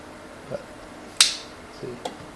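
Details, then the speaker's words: Megasquirt EMS-PRO relay board for an Early Bronco TBI conversion: a few sharp, dry clicks as power is switched off and the relay drops out cleanly, confirming power shuts off. Normal power-off. "and then when i turn it off i hear the relay click off again so i know the power is shutting off"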